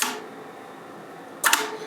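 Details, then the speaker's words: Flex Radio 6600M station with a relay board controlling the tuner. Crisp clicks and a quick double clack over quiet room hiss as relays switch automatically when changing bands; normal, clean relay switching. "And you see it turning off and on automatically."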